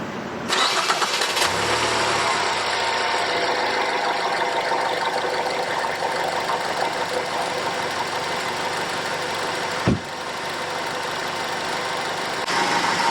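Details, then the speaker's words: 2010 Ford Fusion 2.5L after CHT sensor (P1285) repair per TSB: starter catches at once, smooth steady idle, no knocks or misses, cooling fans not kicking on; problem seemingly fixed. "so it's running no fans are kicking on i think we got it"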